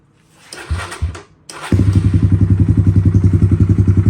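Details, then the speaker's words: Kawasaki KLX140 cold start at about 45°F with choke on, stock carburetor being rejetted for Big Gun exhaust and airbox mod: a couple of kicks, then it catches and settles into a steady, even thump about three to four beats a second; normal cold start. "I'm going to give you guys a cold start or a cold start being I think it's like 45 degrees in here right now so it's a little chilly so all right choke is on"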